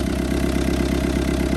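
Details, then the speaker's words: Old Kubota M7500 tractor with a newly rebuilt injection pump, after priming with ether, now running on its own fuel with one injector not yet tight and leaking fuel: a steady, even diesel chug at fast idle, no knocks. "Hit it again. There you go. She's running on her own now."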